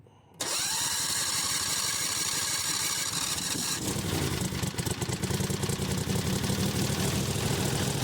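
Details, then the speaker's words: Buggy with a CVT drive clutch, newly running on a temporary gas tank, refired cold: a short crank, then it catches quickly into a rough, fast-pulsing idle. Normal cold start. "This is too much fun. I'm going to fire it up again. Yeah, it's cold."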